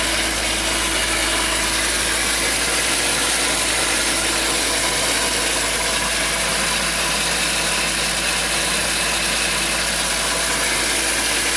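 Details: BMW E46 323i with M52 engine: steady idle with a constant high-pitched screech, unchanging in pitch, from somewhere in the engine bay.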